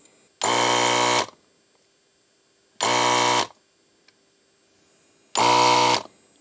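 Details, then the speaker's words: ZD-915 desoldering station after fan replacement and mods: three short bursts of even rattly pump buzz starting and stopping cleanly; pump works fine, louder than normal because not screwed down. "and the pump of course is not screwed down so it's a bit louder than normal"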